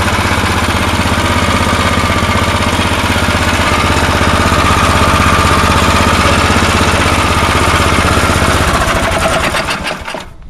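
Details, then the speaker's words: Tecumseh snow blower single-cylinder engine after a carburetor repair: the plastic float in the Chinese carburetor was heated with a torch. Started on choke, it chugs at an even beat of about four per second with no stumbling, then winds down at shutoff. It now runs longer than before and seems fixed. "There you go. I don't think it ran any longer than that before, so I think I got it."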